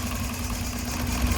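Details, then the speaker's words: 2003 Toyota Runx with 1NZ petrol engine, cylinders 2 and 3 disabled: heavy, lumpy idle with strong vibration and hesitation when revved; severe two-cylinder misfire. "Now you can see the engine is vibrating a lot, the noise is much heavier. This is what constitutes a very bad misfire, because now we don't have cylinder 2 and we also don't have cylinder 3 running at all."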